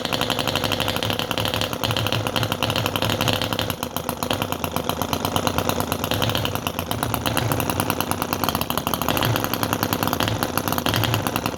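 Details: Chinese model V-twin engine with rotary choke and open float carb, during starting: fast uneven popping, stumbling instead of running clean; too much choke suspected.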